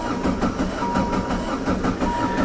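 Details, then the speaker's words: High-mileage diesel Jetta, cold start with glow plugs held 10–15 seconds and the cold-start lever down: rhythmic starter churn at 4–5 beats a second without catching. The corroded, leaking injector pump lets fuel bleed back, leaving air. "it's just sucking that fuel that's ran away started better than that in the wintertime try again"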